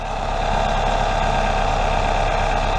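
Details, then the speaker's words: 1996-2000 Toyota RAV4 3S-FE after welding the exhaust leak: steady, even idle recorded close to the exhaust, no ticking, hissing or puffing; repair confirmed. "the exhaust leak you hear that that's right you don't hear that"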